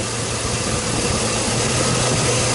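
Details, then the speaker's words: Chevrolet Silverado, at idle under 600 rpm with intermittent misfire: cylinder drop test unplugging each ignition coil makes idle uneven and lumpy with one dead cylinder and rpm drop. "let me do a cylinder drop test I'm going to unplug each coil and see if if it's contributing oh yeah definitely feel it right away"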